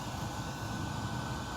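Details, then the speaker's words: PS4 under game rendering load, before cleaning: steady loud whooshing whir with low hum and no pitch change; loud cooling fan, suspected dust buildup. "Yep, I'm starting to hear it right now. And I have the fan off."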